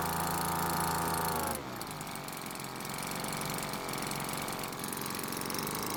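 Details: Cheap small two-stroke leaf blower that wouldn't start, after carburetor H-screw adjustment: steady high buzz drops to an even, popping idle without stumbling; L screw untouched since it already idled fine.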